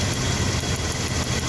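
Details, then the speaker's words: Truck idling with a faint fast ticking on top, spark jumping from a bad spark plug wire (visible in the dark), causing intermittent misfire and unstable idle; the wire had already been replaced. "If you hear the ticking noise, you only have to do that. It has to be dark, and you will see the spark."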